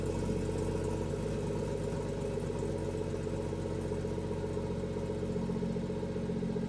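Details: BMW M240i with B58 engine after installing a catless VRSF downpipe: deep exhaust drone at idle with a slightly uneven wavering beat; rough idle, cause not pinned down.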